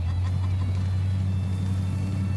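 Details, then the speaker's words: Restored 1970 Superbird with a 440 Super Commando V8 and automatic transmission, on 98 octane, being driven in low gear. Deep, smooth, even rumble with no knocks or misses: healthy running. "sound good don't they oh yeah yes they do it is nice nice keep it in low gear so it sounds good"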